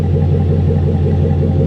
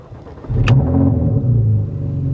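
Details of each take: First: Truck with a 5.3 liter V8, 240-some thousand miles, alternator apparently replaced, at idle: deep, smooth burble, even and steady with no ticks, puffs or rasps; normal idle exhaust note. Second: Porsche at 92,000 miles at a salvage auction: starter catches after a half second and the engine flares into a loud, boomy, rough, exotic-sounding exhaust note that doesn't sound great; cause unclear.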